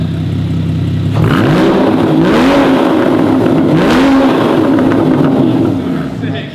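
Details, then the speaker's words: Rebuilt Porsche GT4 with a new exhaust, warmed up, revved from idle to about 6,000 rpm (redline 8,500) and back; smooth, even rise and fall with no misses or rattles; healthy exhaust note. "sounds real good, doesn't it? That's going to be like 6K as well. Yeah. It goes up to 8.5, so it's still got another 2,500 to go."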